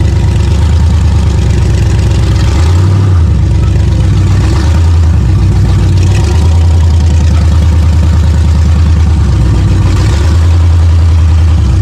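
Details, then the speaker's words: Lumpy, surging, stumbling V8 idle on the 6L engine of an off-road El Camino after King of Hammers short-track racing; it dumps oil out the breather. Owner suspects it is overheated or failing, not fully blown yet. "And it was not running right. It doesn't look like it's completely blown up, but I think it's on its way out."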